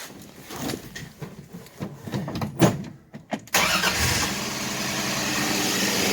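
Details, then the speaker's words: 1966 Dodge Dart GT, 225 Slant Six, barn find sat since 1985, running with valve cover off: brief crank, catches at once, settles into steady even idle with clean, quieter-than-expected exhaust note; normal start and idle. "it's actually quieter than i thought it was going to be"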